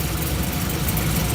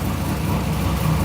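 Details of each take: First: Supercharged Caprice: working injector unplugged at idle gives an uneven, lumpy idle with a hollow stumble; another cylinder found dead, owner suspects its injector rusted from moisture-absorbing E85 left in all winter. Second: Supercharged work van engine after replacing a failed spark plug with a new NGK CR6: smooth, even low idle, steady rumble, no ticking or tapping for about a minute, the first time since the problem started.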